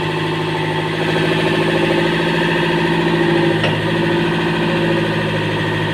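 Diesel idles with an uneven, lumpy beat, roughly three pulses a second that stumble; rough running consistent with lost compression.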